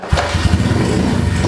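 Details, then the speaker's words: Kawasaki KLX143 big-bore pit bike first start after rebuild, cold on choke, after shifting into neutral (it won't start in gear): single cylinder fires straight away and settles into a quick, even thumping beat with a beady rumble; starts cleanly. "There she is. I think it's got a beady little rumble."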